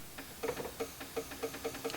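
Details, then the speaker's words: Horn relay with fuse pulled: light, quick clicks about four a second in a quiet cabin; relay chattering because the horn contact intermittently shorts on a loose steering column part. "that's a problem I pulled the fuse again to avoid irritating myself but you can still hear the relay"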